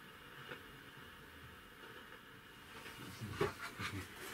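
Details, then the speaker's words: 1965 Decca Diadem transistor table radio, input disconnected, volume up, speaker held close: low steady hiss with occasional sharp crackles like a distant thunderstorm; noisy audio preamp stage. "hold the speaker to you it sounds a bit like a distant thunderstorm with occasional crackles"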